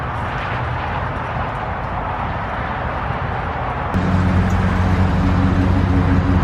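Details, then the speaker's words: Mazda Miata engine running at idle with a dull, fairly even knock about four times a second, deeper than normal lifter tick but not deep enough for rod knock; owner suspects a stuck lifter or valvetrain issue, unconfirmed. "It's not like the normal lifter tick. It's a little bit deeper, but it's not nearly deep enough to be like a rod or something."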